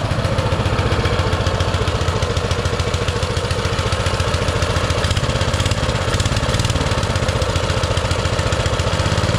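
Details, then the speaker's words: Baja Motorsports Baja Warrior mini bike, single-cylinder with small Japanese-made carburetor, just started: a fast, slightly uneven idle on choke, far higher than normal; the owner fears taking the choke off will make it rev higher. "that runs good it's idled way too high cuz when you try to take the choke off I'm scared it's going to go too high and do something stupid"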